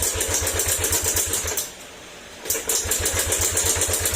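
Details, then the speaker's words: Yamaha Aerox 155 that sat stored a long time and reportedly ran out of oil; it won't start and the engine is noisy. Rapid, uneven clatter while cranking, about four beats a second, with a brief pause, from valve train/low compression. "Issue nito ayaw na mag-start tapos mainga yung makina."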